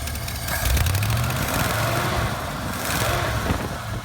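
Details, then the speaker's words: 1973 Ford Bronco V8 with a Motorcraft carburetor, after the choke pull-off was adjusted so the choke stays closed when cold. It picks up cleanly on the throttle, revs rising and settling with no stumble or hesitation. Normal revving. "No problem at all, no hesitation. As I said, no problem, no hesitation."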